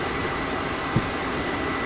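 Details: RV furnace blower motor after repair from mice sucked into it, which had caused a jarring rumble: steady even rushing of air with no rattles, scrapes or surging as heat returns. Normal blower running.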